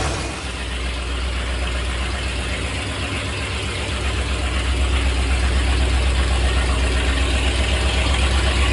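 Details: 1984 Ford Bronco, 351 Windsor 5.8L V8, first start in about a month after Hedman long-tube headers, open headers, not revved: very loud deep steady idle, even lumpy beat about four per second, raw bark, runs smooth; normal open-header idle.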